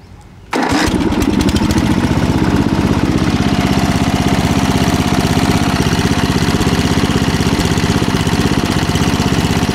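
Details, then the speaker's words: Ford R12 12 hp chain-driven lawn tractor with 30-inch deck, float replaced: single-cylinder catches right away and settles into a steady even chug with no misses or knocks; normal start and run. "as you see it runs good"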